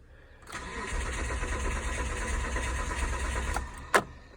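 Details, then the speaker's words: 2006 Mitsubishi Endeavor LS with a new starter, a new crankshaft position sensor, and all six coil packs and plugs changed about six months ago: steady starter churn for about three seconds with even compression pulses, but no start. Fuel supply is being checked. "here we have a 2006 mitsubishi endeavor ls um what happens is i'm sitting here cranking over"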